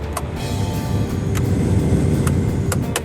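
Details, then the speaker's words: 2004 Jeep Wrangler TJ heater blower on low speed after replacing fan speed control resistor (previously only high worked): soft steady low rush of air from vent, no squeal or rattle; working properly. "I don't know if you can hear it right now but I have low speed on right now"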